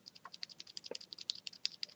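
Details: Cherry MX Silent switches: rapid light clicks on each keypress with a faint extra tick on release; owner suspects the top and bottom housing are not firmly together, since squeezing them reduces the ticking.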